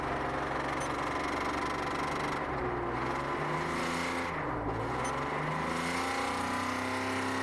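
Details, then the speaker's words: Mercedes V12 back from a shop: rough, lumpy running, pitch rising and falling as it revs; suspected running on only one cylinder bank, throttle bodies not heard humming with key on. "the run's good what you said though it's only running on half the motor don't you think"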